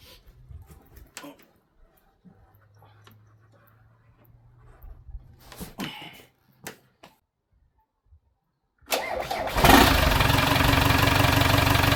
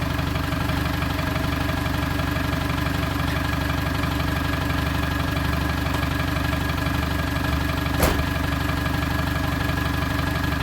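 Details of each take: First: British classic car left for years in a barn, first start attempt: quiet fiddling, then brief cranking before it catches and settles into a steady idle with no obvious knock. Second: TDI diesel project vehicle, running after sitting 4–5 years in an exposed barn; fired straight up after oil was circulated and fuel pump plugged in. Even clatter about four beats a second, no misfires or stumbles; normal healthy diesel idle.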